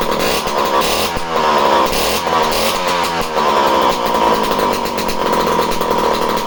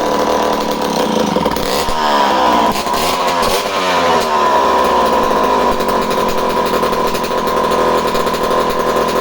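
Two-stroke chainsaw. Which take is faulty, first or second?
second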